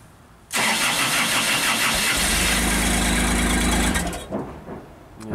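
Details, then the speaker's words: JLG 260MRT scissor lift after starter replacement, battery light on, about 12 V: cranks and fires at once, runs rough about three seconds then dies; suspected computer sees no rpm signal and shuts everything off; starts then stalls. "starts guys we still have a start run stall situation so my suspicion right now is that this computer does not know that the engines running there's no rpm signal and then it just shuts everything off"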